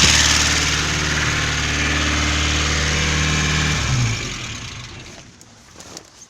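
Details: Petrol engine at idle: fast, light ticking about four per second, then the engine shuts off; hydraulic lifter (hydro-compensator) noise suspected, an oil additive is being tried first, with lifter replacement if it doesn't help.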